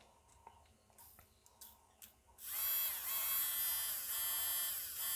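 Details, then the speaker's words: Nail file drill motor powered directly from bench power supply after removing the control assembly: spins up to a smooth, steady high whine, no roughness; nothing wrong with the motor. "two Motors going nothing wrong with the motor"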